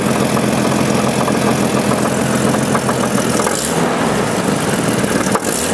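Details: 1988 Jeep 4.0 Renix engine at idle: steady smooth idle with a rapid light knock, slightly louder at the rear of the valve cover, gone once driving; owner suspects piston slap, not rod knock.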